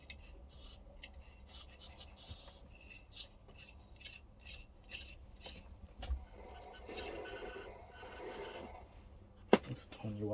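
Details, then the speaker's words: Sound Belle reel-to-reel tape recorder under restoration: a dry, uneven rasping scrape rides over the transport hum as the reels turn; owner suspects a rubber part that has gone completely hard is rubbing. Scraping rub noise. "well i think i figured out what the noise is i think this is supposed to be rubber and it's gone totally hard completely solid hard"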